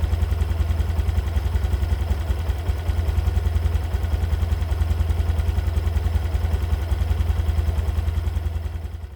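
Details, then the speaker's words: 2022 Honda Beat Deluxe scooter after first CVT service: new V-belt, roller housing, rollers, slider pieces, regreased; earlier clattering caused by broken sliders, not con rod. Now steady even idle, quick regular pulse, smoother, no knock. Normal CVT running. "begitu kira-kira kondisi dari suara motor gua setelah bagian civitnya udah kita ganti beberapa part di dalamnya dan alhamdulillah menurut gua suaranya jadi lebih halus ya"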